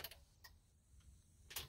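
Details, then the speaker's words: 2012 Ford F-350 6.7 Power Stroke diesel, about 315,000 miles, randomly shuts off while driving and now won't crank or start: key on, no glow plug light, a few sharp irregular clicks from one side of the cab in quiet; cause not yet known. "i don't see a glow plug light so there's one thing we got nothing can hear clicking going on over there"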